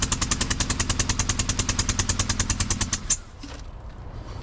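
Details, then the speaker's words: 2011 Honda Accord running: loud, sharp popping about three times a second over engine until shutdown; spark plug blown out of cylinder head, rear head to be removed for machine shop repair. "Yeah, it's loud. That's automatically a misfire. That's good to shut it off."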